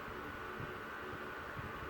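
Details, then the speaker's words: Mid-1970s first-generation Lasko (Galaxy) 3150 12-inch desk fan, Sanyo parts, with its low-speed wire re-soldered and oiled, running on high. An even whirring hum with a steady air rush and no scraping or clicking: motor runs fine and powerful. "start up on high very powerful as expected with one of these old laskos"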